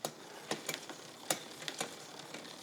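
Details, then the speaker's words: Bicycle with newly installed SRAM XO Transmission wireless drivetrain, during derailleur adjustment via the shifter's 2 mm range: light, irregular clicks about three a second; chain not running cleanly on the cog. "that guy's still a little noisy huh a little bit I think it got"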